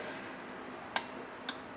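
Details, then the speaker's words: Pioneer SX-780 receiver: two sharp clicks over a faint hiss as the speaker protection relay contacts drop out and back in; there is slightly diminished amplitude on the right channel. "Yeah, you can hear the relay clicking in and out."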